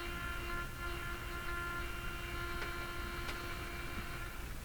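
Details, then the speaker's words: Philco Model 42-322 tube radio: a steady hum with thin buzzy tones over a hiss floor and odd crackles. The cause of the buzzing is unknown; a capacitor is suspected. "tuning way up to the other end where I think there's a much louder Buzz hey what happened to all the weirdness"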